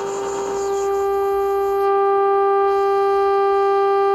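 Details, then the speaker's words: Zenith 412V AM/FM radio after repair, on AM at the top of the band near 1600 kHz, playing a generator tone: a clean, steady tone of about 400 Hz with no crackle or drift; normal reproduction, no adjustment needed. "but if I turn the volume here the little static and switches am see that here's the tone that's being generated from here"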